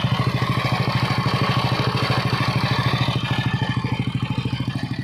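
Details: Yamaha NMAX v1 scooter engine, very dirty and full of sand, with a loud, fast, even "helicopter" clatter over the idle that keeps pace with the engine; a crushed camshaft bearing with heavy play.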